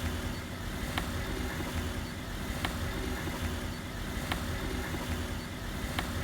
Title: Стук в подвеске Volkswagen Polo